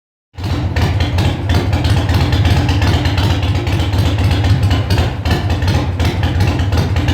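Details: Harley Sportster V-twin first start after rebuild: catches and settles into a steady, lumpy idle of about three beats a second; engine sounds healthy.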